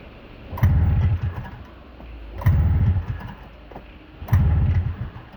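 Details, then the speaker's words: Snowmobile on a cold day, carb slightly corroded, plug caps on: three start attempts about two seconds apart, each catching in a short rough burst then dying at once. Hard starting, stalls after firing, cause not found. "What the heck? Seriously. You want to fire over, I know you do. Now I'm actually confused."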